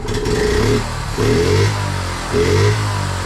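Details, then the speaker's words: 1976 Honda Z50J1 Monkey after correcting points gap: small single revs up crisply three times and returns to steady idle; clear power gain, though still needs fine tuning of gap and carb. "Ooh. Well, straight away that's a much noticeable power gain. Definitely. I think we cracked it, you know."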